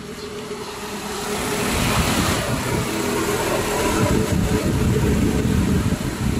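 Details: Proton Exora idling after repair of the radiator fan wiring, which was taped up; the fan had not been working and the AC was not cold. The engine idles smooth and steady as the AC load comes on, with fan rush rising underneath. The cooling fan now works.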